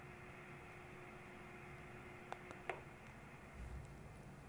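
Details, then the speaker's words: 1970 Concerto clock radio: a good capacitor is bridged across the big power supply filter capacitor, and the steady mains hum mostly goes away. That filter capacitor is failed and must be replaced. "as you can hear the hum mostly goes away maybe you can hear so that one maybe that one we'll see but clearly that one's got to be replaced"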